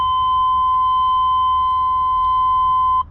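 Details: 1989 Chevrolet Suburban 1500 2wd, ice cold after sitting, key on before start: single steady high tone holds about three seconds then cuts off; normal key-on warning chime.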